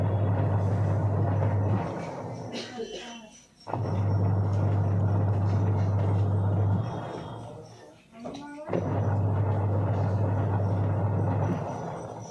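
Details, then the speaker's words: Semi-automatic washing machine with a one-side rotation fault, after the new timer was wired in: steady low motor hum runs, winds down, pauses and restarts the other way, pulsator now turning both right and left normally. "तो देख सकते हैं यहां पर friends के बहुत ही अच्छी तरीके से राइट और लेफ्ट दोनों में मूव कर रहा है"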